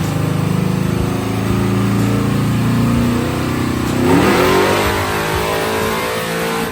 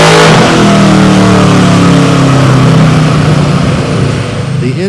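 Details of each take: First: Malibu on a chassis dyno, wide-open-throttle pull on the first nitrous stage with a 150 hp jet, after a jet change richened air-fuel from 13.5–13.9 to about 12.6 (about 476 rwhp on motor); clean strong climbing roar, no misfire or stumble, gained over 200 rwhp. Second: Warmed-up Malibu V8 on a chassis dyno, naturally aspirated full-throttle pull before nitrous, run to clean the plugs; climbs steadily under load, then turns ragged and stumbles near the top. Dyno air-fuel monitor showed it running lean.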